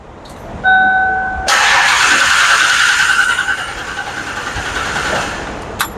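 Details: 1992 Ford Explorer 4.0 V6, will not start without starting fluid: door chime, then the starter spins steadily for several seconds without catching; crank no start caused by a massive vacuum leak.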